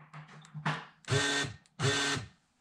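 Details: 2011 Ford Expedition door lock actuator (2011-13 F150/Expedition type): short harsh whirring grinds under half a second with each lock/unlock press and no solid clunk; gears inside are stripped, actuator being replaced for the second time.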